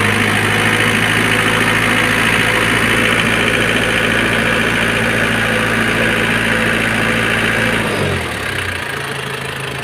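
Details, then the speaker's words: 1997 Nissan Big M pickup, BD25 2.5 L four-cylinder direct-injection diesel (red head): smooth, steady idle with an even diesel clatter and no odd knocks, then the engine shuts off near eight seconds; normal idle. "มาดูเครื่องยนต์สักหน่อยนะคะอันนี้เรื่องBDวงอะไรPowerนะคะวันนี้เออเมื่อเครื่องเดินเบาปกติเลยคันนี้"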